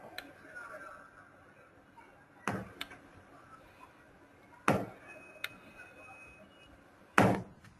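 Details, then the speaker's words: Faulty stepper motor: a faint steady hum broken by sharp, isolated knocks about every 2.5 seconds at certain spinning angles. This sample may be the one with larger knocks plus a 'ZZ' rub noise; a good motor has neither. "ning angles the faulty motor 2 has more obvious knocks in addition the faulty motor 2 has rub noise which sounds like ZZ"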